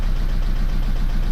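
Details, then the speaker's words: Mercedes C-Class S204 with OM651 diesel just after DIY timing chain replacement: lumpy, uneven idle with a stumbling beat, not firing cleanly, caused by air still trapped in the injectors, normally bled via diagnostic program. "Der Steuerkettenwechsel hat erfolgreich geklappt und das Problem am Anfang war, dass da noch Luft in den Injektoren drin war und die Luft kann man normalerweise mit dem Diagnosesystem über ein bestimmtes Programm ähm aus den Injektoren ablassen."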